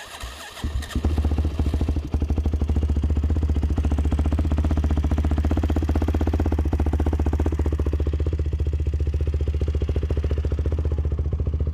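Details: YFZ WR450 478 hybrid single-cylinder after repairs: catches quickly and settles into steady, even idle, about four beats a second, no misses or clatter; healthy.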